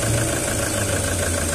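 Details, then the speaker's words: Skoda Rapid petrol engine at idle, uneven and lumpy with the engine shaking. The malfunction light is on, with low pickup. Misfire traced to the cylinder 2 injector circuit; injector servicing is the fix. "गाड़ी को start होगी और आप देख सकते हो इसका engine कितना हिल रहा है इसका तो इसका इंजन मिसफायर हो रही है"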